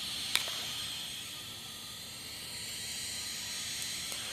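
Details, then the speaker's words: Philco Predicta Tandem TV under repair, dim picture: constant high-pitched hiss with occasional sharp crackles, high-voltage arcing inside the set, possibly leaking and overloading the low high voltage; B+ at 260 V instead of 270; cause unconfirmed. "also that looks like arcing noise in the picture and you can hear it arcing inside this"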